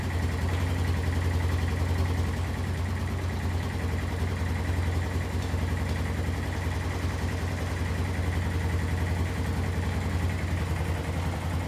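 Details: Kawasaki Bayou 220 barn-find ATV, cold start after sitting, oil badly overdue and possibly diluted with fuel: steady low thumping single-cylinder idle, even pulses without knocks or misses; healthy cold idle.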